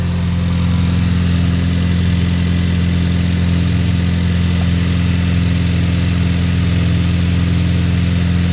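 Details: Cold start and idle of a 2023 VW DLB engine, rebuilt at 23k km, after an oil and filter change, with the air conditioning on then switched off. Even, smooth low hum with a steady beat and no knocks, ticks or misses; healthy idle.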